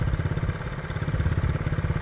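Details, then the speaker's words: 1967 Honda CT-90, about 2,700 miles, idle turned up slightly, in neutral before a test ride: small single putters with even, steady low thumps, about nine a second, no misses or clatter; idling healthy. "Alright, this is running really good."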